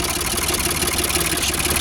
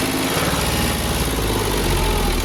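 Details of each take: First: Old Ford 4600 tractor diesel after fitting a new injection pump, idle screw wound fully in: ticking over steadily at about 700 rpm, low even beat, no labouring or missed beats. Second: Ford 4600 tractor diesel after fitting new injection pump: slow, heavy loping idle, too low; idle screw then wound in to about 700 rpm.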